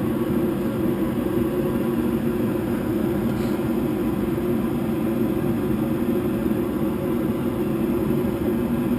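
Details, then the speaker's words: York Diamond 80 furnace that would not heat (clicking heard), after repair with 24 V confirmed: igniter and flame on, steady even rumbling roar with no clicking or cutting out; burner running normally. "all right tus igniter flame on see if we get any crazy rapid Amber lights or low Flame sense I think we'll be good to go now"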